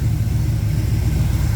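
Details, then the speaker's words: 1969 Chevrolet Camaro with freshly rebuilt 327 small block (bored .040 over, H-beam rods, flat-top pistons, 480-lift cam), carburetor untuned and running slightly rich: deep, even low rumble with steady firing pulses, no knocks or ticks; healthy tight idle. "Super pumped, super pumped. Can tell she's tight. She's a tight engine."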